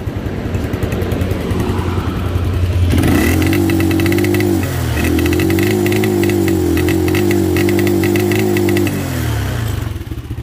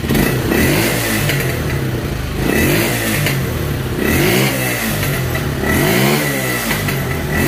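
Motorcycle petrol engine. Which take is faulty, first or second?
first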